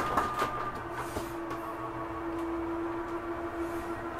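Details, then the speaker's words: Catalina 323BHDSCK travel trailer front slide retracting: a steady low motor hum with a few light knocks as the slide draws in quickly and smoothly; normal operation. "see this slides in really quickly again make sure that cabinet door is closed"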